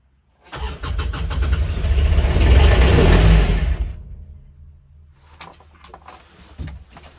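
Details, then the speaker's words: Kubota RTV900 diesel at -8°F: steady cranking chugs for about three seconds, nearly fires but never catches. Owner suspects leftover summer fuel. Cranks but won't start. "holy cow i know definitely it is yeah it's -8 ted yeah this isn't sounding good at all"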